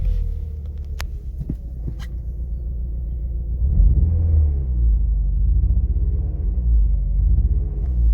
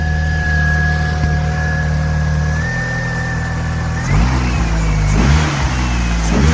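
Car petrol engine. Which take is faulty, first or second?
first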